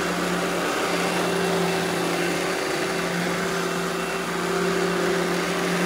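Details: Eureka The Boss Smart Vac upright vacuum, model 4870 type GZ, bought secondhand, belt replaced; switched on for a demo: steady even motor hum, constant high whine, no knocks, rattles or pitch wobble; normal smooth running.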